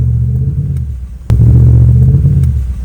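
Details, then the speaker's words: Dodge Dakota bogging after driving through a puddle: lumpy, uneven low rumble that stumbles under throttle, misfiring on multiple cylinders, no power above 25–30 mph; cause suspected, not confirmed. "it seems to be misfiring on multiple cylinders and I can't drive faster than like 25 or 30 miles an hour it has like no power and it's running really rough it sounds like crap"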